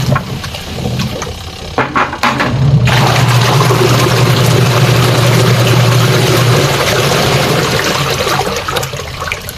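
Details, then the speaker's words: Sharp single-tub washing machine after repair that fixed a stony grinding with water: steady low motor hum under swirling water, no rattling or stony grinding from below; wash drive sounds healthy. "So bale yan mga idol, okay na siya. Hindi na siya may na parang may bato sa ilalim mga idol."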